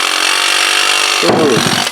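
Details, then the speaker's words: 2002 Yamaha Kodiak 400 ATV that would not crank on the button but started by pull cord: starter, freed by a hammer tap, spins with a harsh, gritty, uneven whir and rattle winding down; bad starter. "o that sounds awful gross okay so there we go there's your definitive answer that's why it wasn't cranking cuz the starter is bad"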